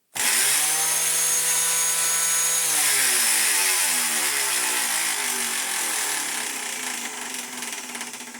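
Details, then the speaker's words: Dyson DC14 Telescope Reach vacuum fitted with a cheap aftermarket non-clutched brush roll: shrill motor whine with a rough, buzzy rattle that settles as it runs down; brush roll clatter, suspected cracked at the end. "this one came in yesterday because it makes a weird noise, and crikey, they're right, it does."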